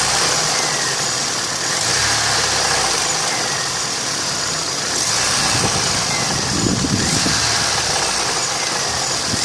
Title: Стук двигателя а15sms